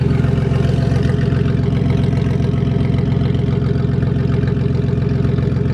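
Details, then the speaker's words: Old Ford van idling after a fix to the positive battery terminal behind its intermittent no-start: steady, even idle with a regular low pulse and no misses or knocks; exhaust tip is cut off. "Oh well, it works. I mean, it looks kind of janky, but this didn't work too well. So now we got this. Runs pretty good."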